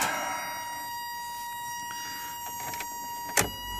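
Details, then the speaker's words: 1985 Toyota MR2 (engine bad): short electric motor whirr, then a firm clunk as the pop-up headlights seat; headlights go up and down normally. "headlights work up down everything works all the lights work"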